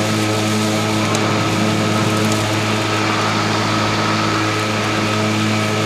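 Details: Stihl RMA510V battery mower cutting at 1.5 inches with eco mode off. A steady, even motor hum with a level blade whir and no surging or bogging; cutting cleanly and normally.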